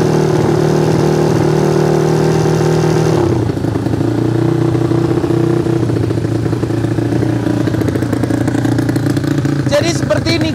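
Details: Yamaha Fino scooter rebuilt as a 200cc race engine for the 200 class, total-loss electrics with charging removed: loud, even single-cylinder beat through a raspy open pipe, steady with no knocks or misses; healthy.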